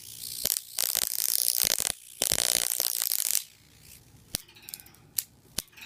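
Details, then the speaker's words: Ion chair high-voltage supply, oil ignition transformer 120 V in, 10 kV 23 mA out into a voltage doubler (20–30 kV DC), negative plate on top: ground lead shorted at the top plate gives crackling, snapping arcs that squeal. "If I come up to the top, same ground lead, I short it out up here, you can hear it squeal."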